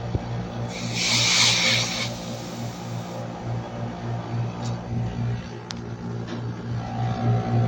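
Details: Split-type aircon outdoor unit after the burnt compressor terminal wire was replaced: even low compressor hum under a fan whoosh with a short hiss early on. Running at 8.1 A with low-side pressure 50–55, cooling normally.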